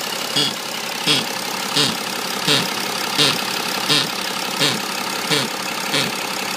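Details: BMW E90 330d diesel at idle: sharp, bright tick-clack about 85 times a minute that comes and goes and isn't tied to engine speed; intermittent engine noise, cause unknown.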